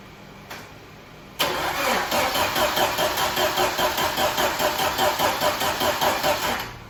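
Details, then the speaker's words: 1995 Jeep Wrangler YJ, fuel-injected engine unstarted for 18 months, cables hooked directly to leads because the battery is dead: steady rhythmic cranking at about 2.5 beats per second that never catches. Turns over but no fire, no spark. Crank, no start. "So turns over, that's good. No fire, no spark, didn't want to do anything."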